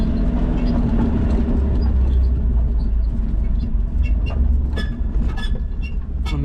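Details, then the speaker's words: Chevy S10 started after sitting a year: low, uneven rough-running rumble, cause unconfirmed. "go turn on the distributor a little bit more she's a little sluggish on take up"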